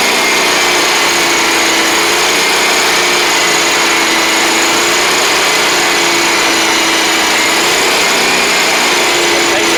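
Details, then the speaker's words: John Deere 345 lawn tractor, liquid-cooled Kawasaki, after carburetor work: steady high speed at mowing rpm with even tone, no rise and fall; surging gone, though it still won't idle properly. "But we've got it going at the uh high RPM and mowing speed. It doesn't sound like it's surging anymore, which is good."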